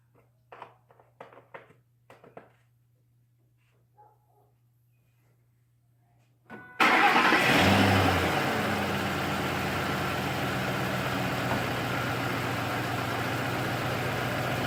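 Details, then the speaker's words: 2006 Ford F150 5.4 Triton just after an oil change, oil slightly above the full line, truck with a known oil leak: quiet clicks, quick crank and start, then a smooth, steady idle with no knock or tick. Oil pressure came right up; normal. "That time the oil pressure came right up, so we know we're good."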